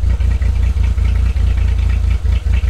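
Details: Suzuki Every Turbo DA52V van, cold engine with new water temperature sensor: low steady thrum broken every few tenths of a second by stumbles and dips, running lean; owner suspects idle-up or ECU — unstable idle, cause unknown.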